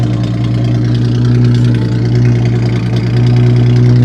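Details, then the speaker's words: Ford Mustang with 121,000 miles and aftermarket exhaust, idling: deep, loud, throbbing, raw booming exhaust with no muffling; no exhaust pipe visible and mufflers appear to be missing. "I can't see if there's an exhaust at all. I think we're missing some some mufflers."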